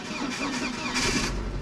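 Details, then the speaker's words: Audi with roughly five-year-old battery revived by Noco Genius 5 desulfator, checked 24 hours later: brief crank, then clean catch into smooth idle; healthy start without a jump pack. "the noco genius five definitely brought this battery back enough for me to uh be able to start the car again which is pretty amazing"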